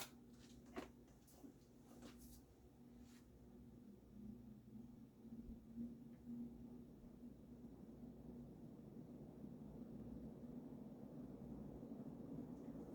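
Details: Early-1980s Emerson-built Sears Turn of the Century 52" ceiling fan (1895 series, KB-55 stack motor), started on high: a few handling clicks, then an evenly building low motor hum with no grinding or rattle; normal start-up.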